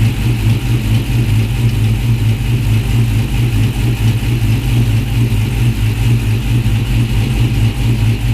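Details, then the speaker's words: 2016 Dodge Charger R/T, Hemi 5.7 with upgraded camshaft and full bolt-ons, first startup after cam install; deep, loud, steady idle with an even lope, no knocks or ticks, quiet at the front. Normal cammed V8 idle. "so the engine sounds good it's pretty quiet in the front"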